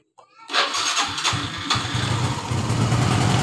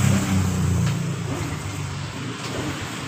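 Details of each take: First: Honda Revo FI that was hard starting hot or cold, after replacing a cracked part: starter whirr, then the engine catches at once and settles into a steady single-cylinder idle; starts normally now. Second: Honda Revo FI, hard to start cold or hot, hesitant and weak, no fault code: engine catches with uneven stumbling pulses then sags and fades; fuel flow restricted, weak fuel pump suspected, pressure checked next.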